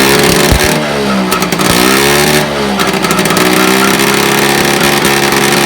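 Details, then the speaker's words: 1976 Puch Maxi two-stroke moped under restoration, run in a shed with choke on and baffled exhaust: a crisp buzz rising and falling with the throttle, firing steady and even with no misses; running well. "give it a choke as you can see it's running quite well now the back wind is baffled see it"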